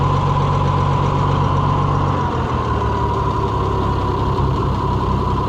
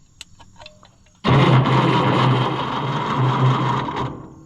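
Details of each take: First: Oliver 1650 tractor after swapping to a new Delco-style distributor with points filed: smooth, even low idle with steady rhythm, no misses or knocks, then winds down; engine running healthy. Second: Oliver 1650/1655 tractor after swapping to a new Delco-style distributor: starter churns steadily about three seconds with no firing; cranks but won't start, no spark, points need filing.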